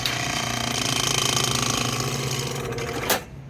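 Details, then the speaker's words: Old Comfort Star R22 split-system compressor, not cooling after a breaker trip, 212 V supply, fan disconnected, refrigerant present. Rough rattly grumble, then cuts off; it rotates but does not pump, likely internal damage. "That thing's spinning. It's not pumping. Hey, you heard it. That thing was rotating."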